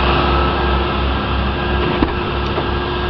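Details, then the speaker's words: 1985 Buick LeSabre Limited Collectors Edition, Oldsmobile 307 V8 with Rochester Quadrajet, cold start after sitting five months: steady, smooth fast idle with no knocks or ticks at 55 psi oil pressure before kicking down; normal cold-start high idle. "high idle right now at 55 pounds of oil pressure. Now we just kicked it down."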